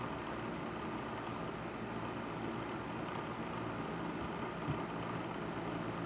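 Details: Patton 12-inch box fan after servicing, on low speed in a window: an even, steady airy hum with no ticking, rubbing or wobble throughout; normal running.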